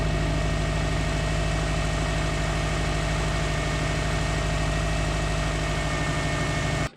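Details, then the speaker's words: 2002 Subaru WRX, about 20 years old, about 130,000 miles, recently reflashed for boost cutting: steady idle with a light tick about two per second; owner unsure of the cause; ticking at idle. "i'll post a clip of what it sounds like now and you guys can let me know if anyone watching uh here's anything that's wrong with it but that still sounds like it's ticking or something like that"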